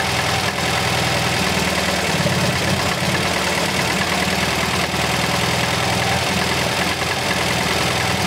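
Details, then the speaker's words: MGB GT after fixing the faulty Lumenition ignition module, cylinders 2 and 3 now firing: steady even idle holding its pace, no missing or stumbling beats; normal idle. "so as you can tell the engine is now running very smooth"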